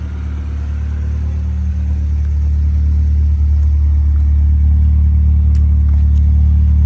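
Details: Honda B20 after fixing a high idle (~1800 rpm): dirty IACV swapped for one from a B16, new TPS voltage, throttle cable readjusted, new 70mm throttle body, just driven. Idle a little over 1000 rpm: smooth, even hum, no surging or hunting; normal.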